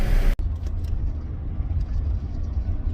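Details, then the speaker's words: 2003 Chevrolet S10 extended cab 4x4 after replacing the third-door latch and adjusting it: deep road rumble over bumps with faint ticks from loose rack screws; no door rattle anymore. "Right there it would have rattled normally. I can hear the screws that aren't attached to anything on my rack rattling back there. But the door's not rattling."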